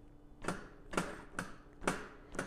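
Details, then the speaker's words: 2021 Huffy Scout 26" mountain bike jostled by hand: sharp clunks about twice a second. The steer tube is a loose fit in the headset, giving slop, and the suspension fork is worn and leaking grease, needing replacement. "hear the clunking sound i mean just the fork is just seems like it's falling apart there's like grease coming out of it so the forecast to get replaced"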